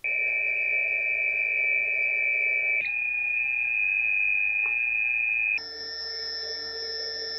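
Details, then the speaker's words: Mobula 6 whoop with 25,000 kV 0802 motors, relatively new and never lubricated, sitting on foam and recorded at multiple speeds: a clean, steady high whine stepping in pitch with each speed change; the motors are in good condition. "this drone is relatively new I've only flown it a few times because of the limited range of the receiver in this one but that means these motors are in good condition"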